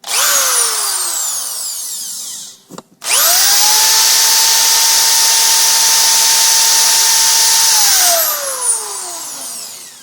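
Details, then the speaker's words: Power drill after brushes were sanded and refitted: spins up quickly to a clean, steady high whine and winds down smoothly, squeal gone; normal healthy motor. "oh doesn't make that uh noise anymore really from what I can"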